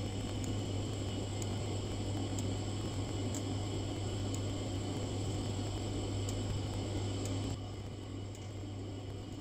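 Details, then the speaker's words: Glow-worm Ultimate boiler with no pilot: steady low fan hum, faint high whine and soft regular ticking but no ignition catch; fan runs, pilot never lights. "okay so here we are today on a globe Optima the issue with this boiler is apparently they will apparently a little light a pilot here's the fan can hear it spoken"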